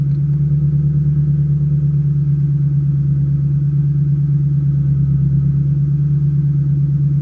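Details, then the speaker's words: 2005-2010 Mustang GT 3V with ON3 turbo kit, just after start-up: deep, even idle with a steady pulse of about three beats a second and no knocks or ticks. Starts easily. "See, fires right up. Sounds good."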